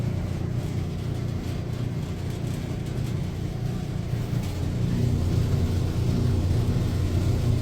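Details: Electrolux dryer running: heavy low rumble with uneven throb; lint buildup in the blower wheel, cleaned out.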